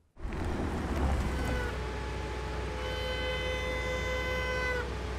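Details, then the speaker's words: BMW M car with high-performance brakes, just after a run on the wet steering skid pad: a honking brake squeal with stacked tones swells as the car rolls to a stop, from water trapped between discs and pads, classic wet brake honk. "this is a classic example of wet honking while driving during our run on the wet steering skid pad a considerable amount of water penetrated between the discs and the pads generating"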